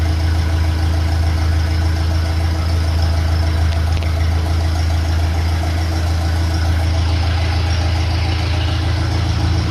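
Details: 1957 Ferguson FE35 TVO tractor after valve clearance adjustment and rocker cover leak fix: steady low even chug at idle, no spitting, popping or misfires; normal idle.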